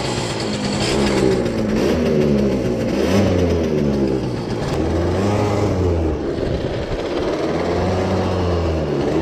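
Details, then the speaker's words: CPI two-stroke scooter on a break-in test ride with a new piston: uneven, wavering, sputtering buzz near dying. Owner suspects it runs too rich because the main jet is too big, probably fouling the spark plug again; stalling. "nice probably fouled the spark plug again because it runs so rich"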